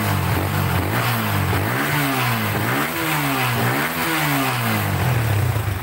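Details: Yamaha Vixion that previously wouldn't start, after repairs with stock setup: single revs up and down several times, pitch climbing and falling smoothly with no misses or knocks, sounding healthy.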